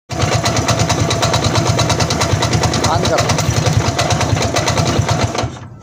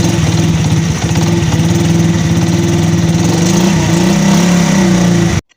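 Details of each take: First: 100cc motorcycle engine at slow idle: quick, uneven light tapping about three per second over the exhaust beat; sounds like rod knock but disappears with slight throttle, caused by a loose bearing plate nut. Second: 100cc motorcycle after repair: smooth, regular idle putter with no knocking before shutdown. It previously had a rod-like knock at slow idle that disappeared with throttle, caused by worn parts with play touching. Normal idle.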